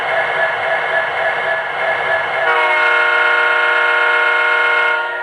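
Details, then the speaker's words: Horn from an O-scale 3-rail diesel locomotive's speaker after debris was cleared out of it. The tone is full and clean with no vibrating or cheap-speaker buzz; a normal horn sound after the fix. "Now it sounds full and complete, and there's no gosh darn vibrating noise. It sounds great."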